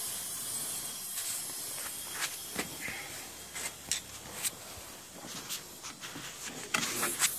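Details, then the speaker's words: Gas boiler on a no-heat call with a bad circulator pump; faint continuous hiss with light clicks as the spiral automatic air vent releases trapped air, hopefully avoiding a system purge. "You hear that spiral vent pissing over here. Hopefully if it works right, I don't have to purge the system."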